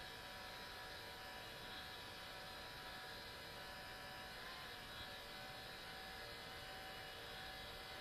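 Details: New Sony Vaio CS11S/W laptop under full load, about 60 dB, cores at 100°C and throttling: steady loud airy rush with faint whining tones; attributed to a mechanically faulty cooling fan.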